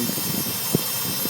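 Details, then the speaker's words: 2005 Nissan Armada LE 5.6L V8 idling warm after driving, with a hissy pulsing buzz and a sharp tick from the front of the engine, absent when cold; low oil pressure in gear too; timing chain or guide suggested, unconfirmed. "this is the sound you hear that buzzing sounds like a bad fuel pump but obviously I know the fuel pump is not up front here"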